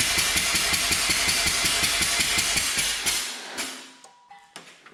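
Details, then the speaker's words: 2007 Mazda RX-8 rotary, sat about two years and quit running, cranking on compression test: even light cranking beats about three a second, never catches. Rear rotor read low (about 53); front rotor wouldn't even read, no compression, needs overhaul. "I couldn't even get it to read, which means the front rotor has no compression, which means it's time for an overhaul."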